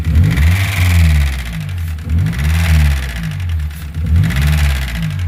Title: what causes this knocking sound?